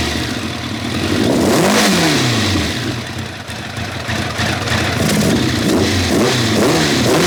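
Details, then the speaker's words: 1990 Kawasaki ZZR1100 running on three cylinders: uneven, rough revving with spitting pops back through the carb as revs rise and fall. Engine misfire on one cylinder; the cause is suspected, not confirmed. "i mean i've only had two out because that was the one that was cold it definitely sounded like it was spitting back through the cup"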